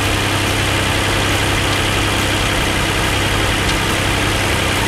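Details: 2007 Hyundai Entourage 3.8 V6 after a new MAF/IAT sensor (code P0102, previously wouldn't start): steady, even idle with a smooth low hum and no stumble or hunting; it holds idle without stalling.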